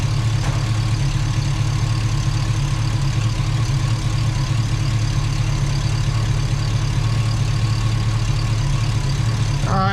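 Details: Chevy Tahoe rebuild, new ATK 5.7 LS V8 on first start with a safe break-in tune, fans on manually. Oil pressure about 40 at idle, 60 revved. Steady, even low rumble with no knocks or ticks: normal idle.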